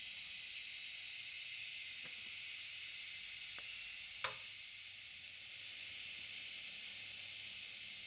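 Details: TIG rig converted from a DC stick welder, welding stainless at 75 amps (down from 80) with argon flowing: a short crackle as the arc strikes, then a smooth, even, unbroken sizzle; steady TIG arc.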